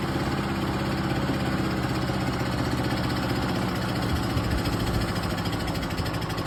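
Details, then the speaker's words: Craftsman 6.75 HP self-propelled lawn mower, primed about 10 times, gas and oil checked, before carburetor work: small single runs with a lumpy, uneven, wavering beat, struggling and unstable; carburetor suspected. "It kind of runs runs like Will maybe start, maybe won't."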